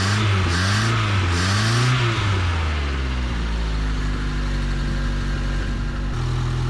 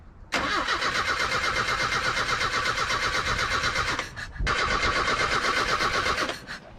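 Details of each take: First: Truck last registered in 2005, after the distributor wire was bent away from the cover to stop it grounding: the engine revs up and down a few times, then settles into a steady even idle with no misfire; it now runs properly. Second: Old truck, after trimming the distributor line: two long cranking runs at about 160 rpm, never catching. There is no spark whenever the distributor cover is on; the owner suspects the ground wire is touching the cover.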